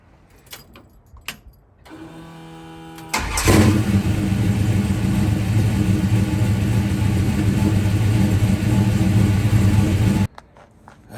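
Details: Old Mopar that failed to start before an alignment trip, restarted after swapping the orange box and improving its ground (owner hopes the ground was the cause); after a short crank it fires straight away and runs strong and even before shutting off; normal.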